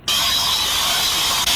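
Steady, sharp hiss with a faint mechanical rattle, consistent with air or vapor escaping past a damaged valve. Cause suspected, not confirmed.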